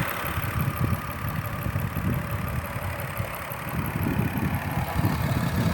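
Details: 2008 Ford Fusion 3.0L V6 after front valve cover gasket replacement for oil leaking onto the exhaust manifold and smoking; steady, even idle with smooth low rumble and no knock or miss, some oil still burning, possibly leftover or rear cover.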